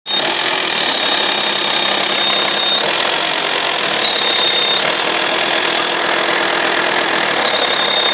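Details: VW T5 2.5 TDI AXD, 240,000 km, AC compressor belt removed: steady high-pitched whistle over a smooth diesel idle, occurring only when hot and only at idle. Source unknown; turbo suspected.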